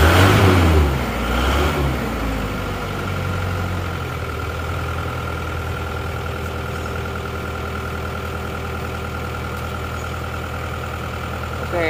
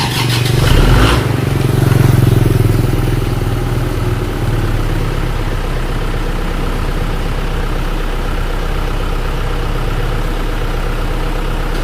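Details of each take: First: Isuzu Panther from Bangil after running out of radiator coolant, before engine rebuild, cold morning start: loud labored cranking about two seconds, then rough uneven idle with white smoke; damaged piston and scored liner. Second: Isuzu Panther diesel, engine rebuilt after running out of radiator coolant (new liners, pistons, rings, clutch, seals, thermostat): cold morning start, temperature gauge on C; slightly long crank (old fuel filter suspected), thin smoke, then steady even idle.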